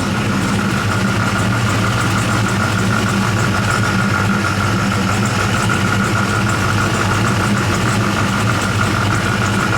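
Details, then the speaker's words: 1976 Chevrolet Corvette C3 V8 with THM 350 transmission, at its yearly start-up, temperature coming up: a steady, even idle with a smooth low rumble and no misses, knocks or ticks, and clean-looking exhaust; the warm engine idles well. "Out there, temperature's coming up pretty good. That car's idling good. Exhaust looks pretty clean."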